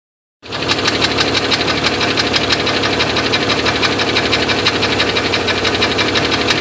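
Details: Jeep 4.0 six-cylinder running: sharp, nasty metallic tick-knock about three times a second, caused by a broken piston.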